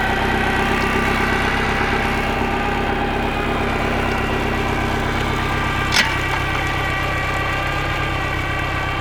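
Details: Bayliner boat engine, previously a no-start after no spark, now repaired: timing found 180 degrees out, likely from the customer pulling the distributor. Steady, even, smooth low idle with no misses, knocks or stumbles; running normally.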